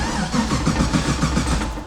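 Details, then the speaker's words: Nissan 240 with an LS swap (350 cu in, Corvette fuel regulator, fuel pressure present): the starter churns in even pulses, about six a second, and the engine never catches, because an ignition wire loses power while cranking and kills the ECU. "oh no I know what the problem is now ignition wire there's certain ignition wires that stay on all the time but there's certain ones where when you crank it takes power so it's killing the ECU"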